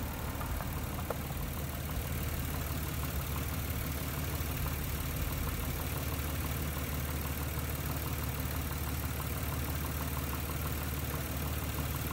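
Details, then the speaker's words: 1994-1999 Nissan Maxima after replacing the failed ignition coil pack: steady, even idle with smooth low hum, no stumbles; misfire solved. "Hear that? I mean, you probably hear more things, but our problem has been solved."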